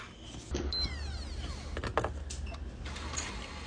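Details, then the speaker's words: PlayStation 4 disc drive after removing a stray screw and refitting the missing spring: short motor whir with a sweeping tone and clicks as the disc ejects and the mechanism retracts; game is recognised, normal operation. "saca el disco retrae acá tenemos el juego lo reconoce lo iniciamos todo perfecto"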